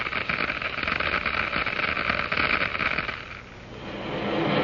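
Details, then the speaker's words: Water flowing through a glass venturi at increased flow rate: steady crackling hiss, strongest in the upper range, easing then building; cavitation bubbles forming in the throat collapsing in the diffuser. "These are cavities filled with cold steam and other gases diffused from the liquid. The noise is generated by the collapse of these bubbles as they move into the higher pressure in the diffuser."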